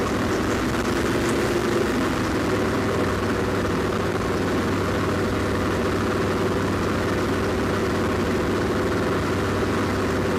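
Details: Land Rover Defender TD5 diesel at steady idle, with the mic at the snorkel air intake. A fine rapid ticking sits over the clatter: a light top-end knock that is barely audible from the cabin. It appeared after radiator work; the most likely suspect is faulty hydraulic lifters, unconfirmed.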